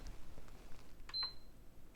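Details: PS5 CFI-1115A with beep on-off fault, before repair: one short high beep at power-up, a few faint clicks, then it shuts off; owner hoped for bad RAM, later found shorted 1.35 V rail.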